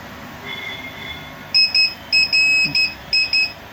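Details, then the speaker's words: Luminous Hercules 1600 inverter running on battery, beeping nonstop on battery, mains and charging, even with a replaced card: high shrill beeps in short bursts, about eight in two and a half seconds. Cause not yet found. "यह continue view sound करता है"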